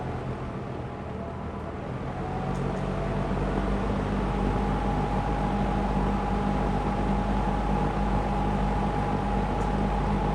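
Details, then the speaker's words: Lakewood P25 metal-blade fan, bought new around 2009-2010, barely used, in a window at high speed. A steady rush of air over a smooth motor hum with a constant low tone, no ticking or scraping; healthy. "It just moves a ton of air."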